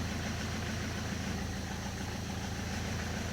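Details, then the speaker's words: Peugeot 206 HDi diesel idling after Helix organic clutch fitted: loose, uneven rattle about three per second that stops when the clutch pedal is pressed; clutch splines rattling on gearbox input shaft from idle inertia pulses. "Basically what's happening there is that the clutch pressure plate has splines that attach to the input shaft on the gearbox."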